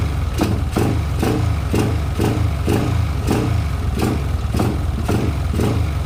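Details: Yamaha LC135 after refitting a racing coil and plug, unstarted nearly a month: even low thumping idle at about two pulses a second, no misfire gaps or clatter. Healthy idle.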